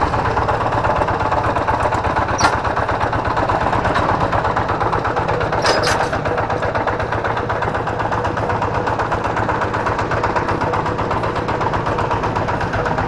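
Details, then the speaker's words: Kubota G3000 diesel tractor idling; easy start, good power and compression. Harsh clattery rattle over the firing beat. Teardown found the flywheel-end NF308 bearing pitted, causing the rough sound. "Suaranya sangat kasar sekali ya ini dimungkinkan menurut saya ini bisa jadi ini adalah lakernya atau piringnya dimana piring yang dekat dengan roda gila atau bearing yang dekat dengan kita"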